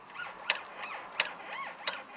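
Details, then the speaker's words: Squeak from an older car's steering column as the wheel is turned back and forth: high, rising-and-falling squeaks with sharp clicks about every 0.7 seconds; worn lubrication suspected, returned as temperatures changed, first thought to come from right behind the steering wheel. "you hear that squeaky in there but i've got a squeak um initially i thought it was coming from back here right behind the steering wheel"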